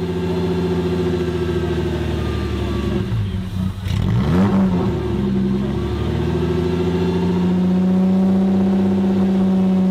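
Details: 1998 Porsche Boxster after an engine swap, on a cold start: the engine surges and sags unevenly between throttle blips and never settles. Idle hunting.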